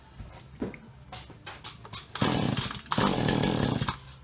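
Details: Stihl HL 75K two-stroke single-cylinder hedge trimmer with new parts, after priming: a few sputtering pulls catch, then it rasps up to a strong, steady buzz and starts cleanly. The high-speed mixture circuit of the carburetor is suspected plugged.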